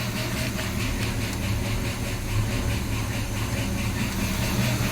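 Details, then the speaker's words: Big-block V8 swap in a dually truck, first start after carburetor cleaned of coolant and oil: fires right up and settles into a steady, deep, even idle with no knocking or ticking; over 40 psi oil pressure, healthy. "spinning over just fine come on sweetie yeah well pressure hey listen she fired right up"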